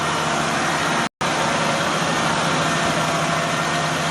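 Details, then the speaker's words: 2004 Nissan Frontier VG33E V6, about 183,117 miles, cold start: steady, even idle a little above 1000 rpm with no top-end clicking; the rattle appears only once warm, suspected hydraulic lifter. "so we can see our temperature is still coal and the rpm is a little above 1000 and we do not have that clicking noise"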